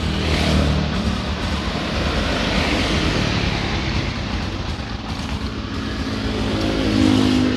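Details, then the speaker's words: Honda Supra X 125 after replacing the loose cam chain with a new one: engine runs smooth and even through light revs, no ticking or chain rattle, quiet and healthy. "Coba hidupkan motor aja. Ini suaranya teman-teman, adem ya. Adem ayam."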